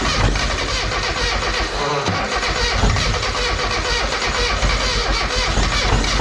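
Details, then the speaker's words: Mazda Miata project car being brought back to life, starting attempt in pouring rain: starter cranks, engine catches roughly for a split second then stalls back to cranking; owner suspects a bad fuel issue, not confirmed. "she's trying to start oh it didn't sound the greatest when it did try to run for that split second but it sounds like uh we might just have an uh uh you know shitty fuel issue"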